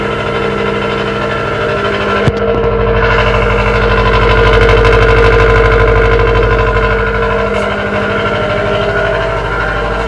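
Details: 2018 Subaru WRX STI with custom downpipe and tune, cold start in parking building: loud raspy idle with steady throb about three pulses a second; normal secondary air pump cold-start rasp, nothing wrong.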